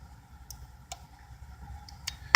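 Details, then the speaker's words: Centech battery charger/maintainer permanently installed in a truck, switched off with a normally-closed button. Faint hum and a few light ticks, then one crisp relay click as it de-energizes. It took a couple of clicks, possibly due to capacitors. Normal disconnect. "know if you heard it and as you can see there it took a couple times I made clicking it to get it fully de-energize ah there's probably some capacitors in there or something"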